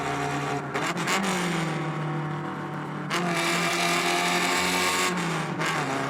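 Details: Alfa Romeo Spider Veloce 105 with fully rebuilt 1750 engine, on the road: smooth, strong note rising and falling with throttle, no knocks or rattles; healthy running under load.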